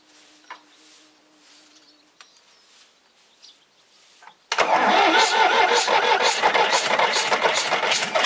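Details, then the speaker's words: Volvo 320 tractor with indirect-injection Perkins diesel, first start after repair without glow plug, valve cover off: rhythmic chuffing puff about three a second from an injector blowing past its seat; fixed by resealing. Injector seat blow-by. "avem un injector care suflă pe lângă el să vedem dacă nu l dăm jos să etanșă"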